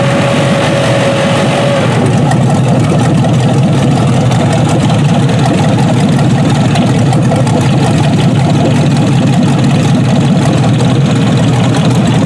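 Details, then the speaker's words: Junkyard 6.0 L Chevrolet V8 from a 2002 Chevy truck pulled from a mud hole (no water in oil), first test run on a test harness, warmed up. Deep, steady, unbroken idle rumble with no knocks or misses; normal healthy idle. "looks like it's going to run."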